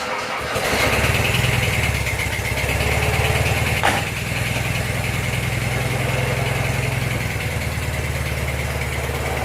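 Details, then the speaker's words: 1985 Suzuki Mighty Boy started after 50 days sitting, freshly charged battery, cold: brief cranking, then catches and settles into a steady even low idle with no knocks or misses; healthy start. "and you get to hear the engine turning over turning over turning over turning over turning over turning over maybe turning over a bit more and then starting"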